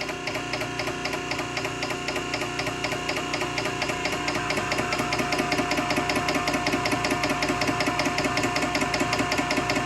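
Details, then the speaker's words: Nugier Co. 100-ton hydraulic press, ram extending on a long stroke: even pulsing about two and a half beats per second with steady hum, no knocks or squeals; moves nice and slow, surprisingly quiet, normal extension. "Moves nice and slow, which is good. I'd rather it move slow than really fast and jittery."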